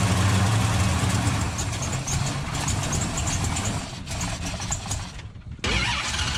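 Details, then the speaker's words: 1968 Dodge Charger with a 426 Hemi V8 during revival: steady cranking with no firing after rewiring, a crank-no-start; once it later ran, a vacuum leak and possible lean running were suspected. "yeah if you hook up the right wires it might actually start right nope"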